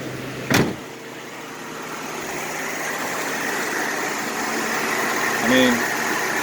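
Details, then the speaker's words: 2000 Nissan Xterra after replacing number 5 fuel injector, idling around 850–875 rpm, heard outside the truck: quiet, steady idle hum with none of the earlier stumble or shaking; running smooth. "you can hear that nothing's going on because before when she stumbled this whole topic you know would be shaking like you know trying to keep up so far it's running smooth"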